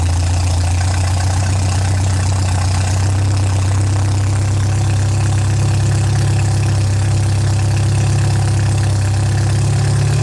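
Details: MGA 1600 roadster four-cylinder under restoration, running after cooling system work on choke and low fuel (new 4 PSI cap, heater core air-locked, not charging): deep, even idle with steady low throb, no knocks or misses; runs smoothly.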